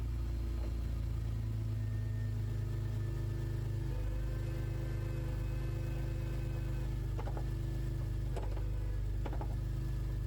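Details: BMW E46 drift car on jack stands, engine spinning the wheels in gear: steady engine drone then a few sharp metallic clunks; driveline or chassis clunk, source not found, universal joint play suspected.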